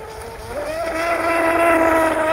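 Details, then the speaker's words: Vintage MRP tunnel-hull RC boat converted to brushless, on 3S with stock 25–30-year-old plastic prop: motor tone climbs slowly, holds steady mid pitch over water hiss, sounds deep in the water; owner suspects big prop, may raise outboard. "Sounds like it's deep into the water."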